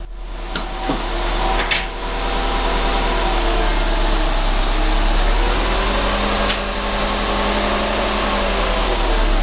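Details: 2010 Subaru WRX pulling away slowly at low rpm, clutch released from about 75% down: a few sharp clicks and a rough grinding edge during clutch engagement.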